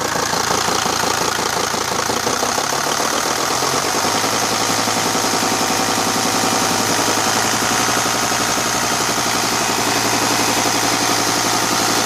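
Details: Mercedes-Benz 410 D Sprinter, OM602 diesel at idle: a dull knock a bit under three a second riding on the clatter, varying slightly with the clutch pedal or injector line release. Crankshaft play in the main bearings.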